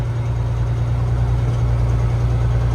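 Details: Peterbilt dump truck ("green truck") diesel after an oil change: deep, loud idle with a lumpy, uneven low thrum and no clear knock; runs rough, owner may pull the motor, cause not confirmed.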